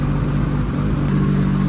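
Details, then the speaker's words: Nissan R32 GTR started after ECU setup, warming up before dyno tuning: smooth deep even six-cylinder burble with no knocks or misses; idling healthy. "I'm just letting it warm up then I'll check the level of the oil and see where it's at but it sounds super good"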